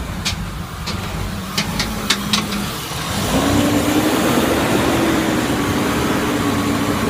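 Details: BMW E39 with M52TU B28 engine, cold start: sharp uneven knock/ticking in the first seconds, then a steadier note; knock disappears as it warms. Cause: cracked crankcase ventilation (PCV) hose causing an air leak.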